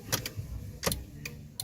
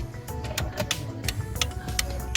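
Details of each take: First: Toyota Corolla 9th gen, key on, after replacing the turn signal flasher relay to cure hyperflashing from LED bulbs: crisp, sharp relay ticks at a steady, normal flashing pace; flasher now working properly. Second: Toyota Corolla 9th gen after upgrading to LED turn signals: sharp relay clicks about three a second, over music, from the stock mechanical flasher relay; hyperflashing, fixed by fitting an LED-rated flasher relay.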